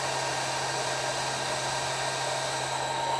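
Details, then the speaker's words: Motor on ABB ACS variable frequency drive at start-up, running very slowly at 0.9 Hz before frequency is raised: steady, even hum at constant pitch with soft fan rush, no knocks or grinding; running smoothly. "और जैसे अभी बहुत slow motor चल रही है, ये क्यों slow चल रही है कि इसकी जो फ्रीक्वेंसी है वो 0.9 है। तो इसको हम बढ़ाते जाएंगे और मोटर की स्पीड जो है वो बढ़ती जाएगी।"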